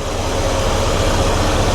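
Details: 1993 GMC Sierra C1500 with new Delta Current Control driving a 2-speed 1994 Ford Taurus cooling fan: short steady low hum and airflow, no pitch change, rattles or squeals, wiring not heating up. Normal low-speed fan operation.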